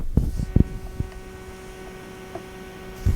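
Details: Klipsch ProMedia computer speakers: a constant slight low electrical hum under a few handling knocks, unchanged by volume or subwoofer level and persisting with connections redone or removed; source not yet found.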